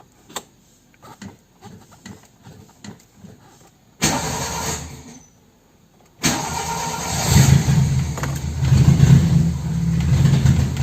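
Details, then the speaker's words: Toyota Corolla with a 2E engine cranks, catches, then idles roughly with an uneven, stumbling misfire that also shows when the throttle is pressed; the cause was a failing distributor condenser, later replaced with a Denso part. "i will start the engine, and you will hear the misfires"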